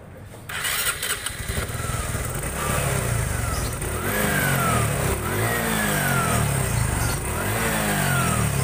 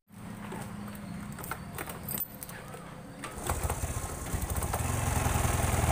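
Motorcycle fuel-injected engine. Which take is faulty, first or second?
second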